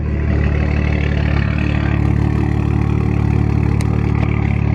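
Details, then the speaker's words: BMW 335i idling after new coil packs were fitted to fix a suspected misfire; smooth, steady low idle with even firing and no stumble, and it sounds cleaner and more refined. "sounds normal the idle almost sounds a little bit louder and a little bit more uh refined"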